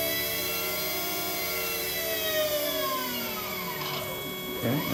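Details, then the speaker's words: Electric go-kart QS motor during Fardriver controller autolearn: smooth whine sinking as the motor winds down, then climbing as it reverses direction; normal autolearn spin, no grinding. "now it's beeping saying we're doing Auto learn see we do we just hold this down"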